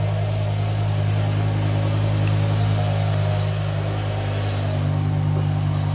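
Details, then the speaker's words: BMW E60 M5 S85 V10 at operating temperature after water pump, thermostat, injectors and VANOS solenoids replaced: smooth, steady deep idle with no knocks or ticks, running nicely before VANOS bleed procedure. "so if you can see here guys it's now calmed down on the idle and it's running absolutely beautifully you can hear it right there it's idling perfectly it's running nicely"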